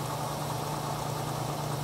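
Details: 1967 Ford Mustang carbureted engine, during tune-up for dead miss, idle mixture screws set about one and a half turns out from seat: steady, even low hum without misses; smooth healthy idle.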